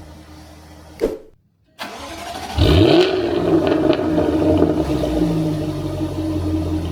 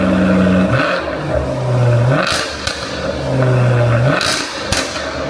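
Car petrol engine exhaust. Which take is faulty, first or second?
first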